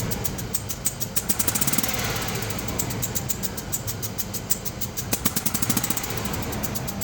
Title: Landrover Discovery 2003 making a clicking noise what could be the problem.